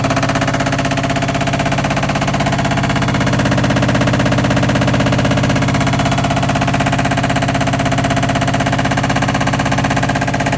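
Loud, rapid, very regular pounding about three beats a second with a droning hum throughout spin; drum is making abnormal noise, cause unclear.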